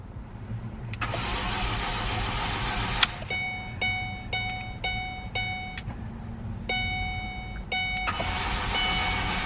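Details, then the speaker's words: Ford Focus, non-runner: starter turns engine over evenly but never fires, fuel present; crank-no-start. "because clearly this is the issue it cranks now but it doesn't start"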